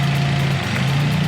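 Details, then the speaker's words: 2016 Matiz Creative with check engine light, fluctuating RPM and a cylinder 4 misfire code: low idle hum with a brief stumble and dip; a torn intake hose is leaking air, temporarily fixable with tape. "공기 가 멈칫 거린다 — 아 , 여기 가 찢어졌네 ."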